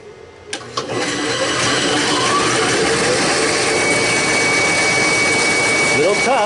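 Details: Belttt 1000 W pure sine wave inverter on 3 lead-acid starter batteries starting a saw (apparently the bandsaw): rough surge at start, then a steady whirring run, struggling "a little tough" on the undersized inverter.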